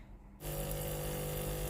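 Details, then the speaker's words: Philips AIS8540/80 steam iron with no steam output, after replacing the water pump: silent, then the new pump kicks in with a steady, even buzz and water spurts out; replacement pump operating normally. "ให้สังเกตนะครับปั๊มน้ำดีจะต้องมีน้ำพุ่งออกมาอย่างนี้เลยนะครับก็แสดงว่าปั๊มที่เราเปลี่ยนเข้าไปดีนะครับ"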